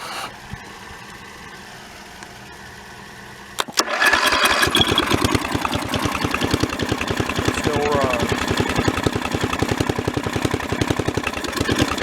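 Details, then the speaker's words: Mid-1980s Snapper rear-engine rider with an 11 hp Briggs & Stratton industrial L-head engine, revived after four years sitting by bypassing the key switch: catches at about four seconds and settles into a steady, even putter of about 200 beats a minute; no smoke after half an hour, though some popping and spitting suggests ignition work needed. "been running now for probably close to half an hour and i don't see any smoke coming out of it"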